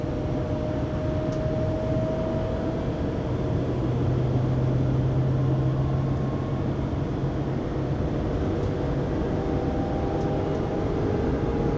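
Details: 2020 Pleasure Way Plateau FL (2019 Sprinter 3500XD), recorded on a phone inside the cabin at 80-90 km/h after driveshaft and differential replacement: a steady, low droning whine over road rumble. Source unknown, drivetrain suspected.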